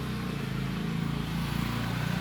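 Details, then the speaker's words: Fan plugged in that won't turn: steady low mains hum and vibration with no blade whir, as the small motor's shaft is stiff and seized, not an electrical fuse fault. "Hai kalau kita menemukan hal semacam ini tadi sudah saya coba colokin ini dia tidak berputar tapi masih berdengung"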